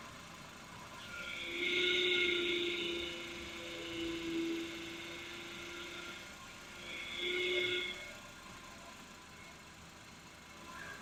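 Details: Car in for noise when steering: a high, wavering power steering pump whine swells each time the wheel is turned, caused by the pump drawing air into the fluid.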